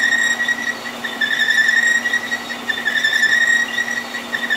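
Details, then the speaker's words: Staggered-tooth wheel cutter, resharpened with radiused corners, cutting keyways in marine shafting under power feed; steady high singing tone, slight pitch wavering possibly from arbor runout of a couple thousandths, even load on each tooth, glossy keyway bottom: a normal cut. "doesn't sound bad that's pretty much what that 22 sounds like"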